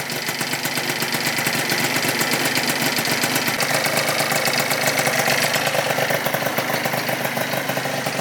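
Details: Freshly rebuilt Yamaha Zuma 70cc two-stroke on its first start and heat cycle, warming to about 180: crisp, busy crackle settling into a fairly even, raspy idle with no knocks or grinding. Normal idle.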